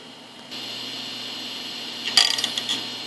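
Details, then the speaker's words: Old Maxtor hard drive running with its lid off, platter accidentally scratched by the case edge: thin steady high spinning whine, then about half a second of harsh scratchy grinding bursts as heads scrape the striped platter. "Oh wow, that sounded harsh. As you can see, there's a great stripe on the hard drive and the camera can't focus on it because it's moving. There. That stripe was due to me touching the hard drive platter with the side of the case."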